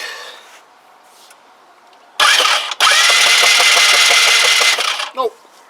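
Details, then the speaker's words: Kymco Agility 125 scooter, was running before sitting unused, with an old black, carboned plug whose gap seems fine: rhythmic starter churn at about three turns per second never catches; spark check shows no spark. "i'll tell you what makes sense to check for spark wouldn't it i don't think so that explains why she won't start we are we had devoid of spark"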